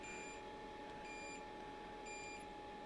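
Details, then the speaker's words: Diesel heater newly installed in a shed, fed from a 5-gallon tank, first start without using its priming (PR) mode: quiet steady fan hum with a short beep about once a second, its out-of-diesel error. "So, right now it is beeping an air message that says"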